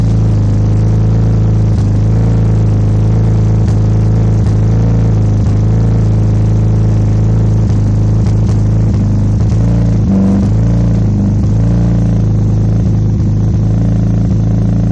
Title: E46 m3 rough idle / misfire?